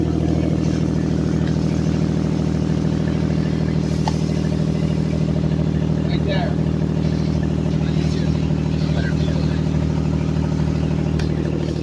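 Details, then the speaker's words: 2004 Mazda MPV 3.0L; loud, raspy puffing over the idle, pulsing about three to four times a second and getting loud on revving, from a leaking flex pipe after the bank 1 manifold, heard inside the van. "that's a flex pipe right there this is what it sounds like inside the van and when I rev it up I mean it it gets loud so we got to get that fixed today"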